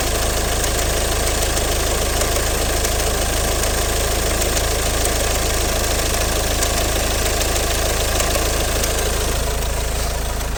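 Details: Ford 2.0 Duratorq TDCi 136 PS diesel (G6DD) at idle: sharp, steady knock about three times a second throughout; cause found to be a stretched chain between the shafts: stretched inter-shaft chain knock.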